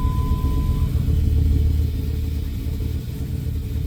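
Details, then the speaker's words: 2000 Dodge Ram at first start after alternator removal for overcharging, battery reconnected so idle memory lost, charging a little low: deep, lumpy, wandering idle, sounds loaded up; rough idle from lost idle memory, improving. "It's going to run kind of rough here because it doesn't it doesn't have any auto memory and it sounds like it's loaded up."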